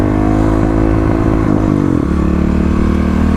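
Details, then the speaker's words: 2018 Kawasaki KLX250 with 351cc big bore, FMF exhaust, EJK fuel controller near stock settings, after replacing a fouled spark plug: at 6,000 rpm a brief faint stumble, the misfire much smaller than before. "the misfire is definitely a lot smaller than it used to be."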